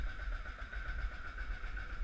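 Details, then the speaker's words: 2004 Kawasaki KVF 360 ATV, cold and still warming up: low, even putter at a slightly slow idle with no misses or knocks, no smoke, only steam; normal cold idle. "their idols finds a little bit slow right now cuz it's still warming up as you can see there's no smoke just steam"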